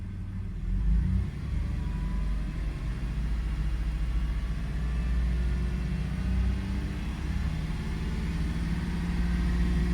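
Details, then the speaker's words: 2002 Toyota 4Runner brought in for a start-then-stall complaint, idling in closed loop with coolant at 161°F: low, even rumble holding steady with no stumble or misses, settling in smoothly; normal idle. "So, it's in close loop now. That's good. Let's take cooling temperature 161. Oh, it's settling in really nice."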